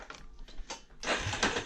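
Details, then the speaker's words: Yamaha Raptor 350 that won't run: uneven ratcheting and scraping on each pull, rope catching and dragging; recoil starter binding, owner hopes new starter clutch fixes it, unconfirmed. "It does that. It sounds like it's binding up."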